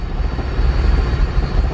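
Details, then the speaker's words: Turbo K24 Civic EP3 with the customer's under-flowing injectors, before a 20% overall fuel trim was added: a very low, lumpy idle barely hangs on, then shuts off. Fuel pressure is present, air-fuel is lean. "now it's a little better and then it just shuts off foreign we have fuel pressure idling really low"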